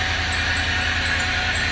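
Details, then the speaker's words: 2006 Range Rover Sport Supercharged, first start-up during restoration: a thin, steady high squeak over the idle. Belt squeak; the belt needs replacing, otherwise the engine runs fairly well. "That's a belt squeak. I know now. At least I know that I have to get a new 17 belt."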